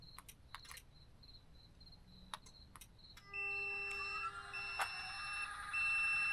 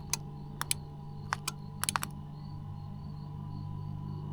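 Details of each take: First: Tec Vans elevator bed in DIY camper van after fixing the wiring mistake: steady lift-motor whine with regular beeping about three times a second as the bed moves; lift and switch now work, bed not yet levelled. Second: Tec Vans elevator bed in DIY camper van, first test after install: relay clicks sharply on each button press over a faint hum but the lift motors never run; lights work.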